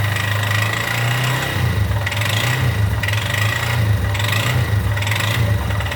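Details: Yamaha XTZ Lander 250 (2020/21), 34,000 km, at idle: a steady thrum with a raspy metallic hiss pulsing about once a second. Abnormal engine noise, cause unclear.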